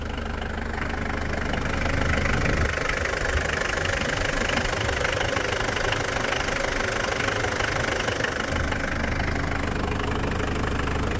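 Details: Mitsubishi Pajero turbodiesel after valve cover gasket, oil change and new alternator (charging 14.2 V vs 12 before), near operating temperature; steady diesel clatter at idle, even rhythm around three beats a second, no misses: normal diesel idle.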